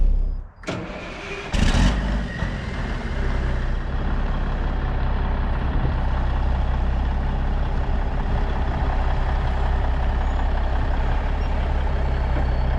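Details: 1994 International 9600 cabover, N14 Cummins diesel, 561,000 miles: after fixing the air line fitting and unplugging the low-coolant sensor that was shutting it down, it catches after a couple of cranking bursts into a steady, deep, even idle while building air; runs normally.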